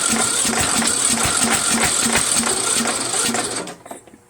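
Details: Troy-Bilt 1842 Super Bronco lawn tractor with a repowered engine, Nikki-copy carburetor, on choke: steady cranking at about three pulses per second with no firing, then it stops; cranks but won't start, carburetor suspected, not confirmed.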